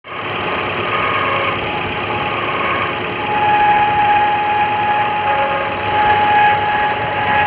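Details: Maruti Gypsy Euro 3 petrol engine idling with a rough, gravelly whir and a thin steady whine from a worn water pump bearing.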